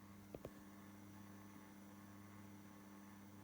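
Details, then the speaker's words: ION USB twin cassette deck playing a tape. A couple of clicks, then a low, steady hum with buzzy overtones under the playback; disconcerting hum, probably from the transformer. "Yeah, that humming is quite disconcerting."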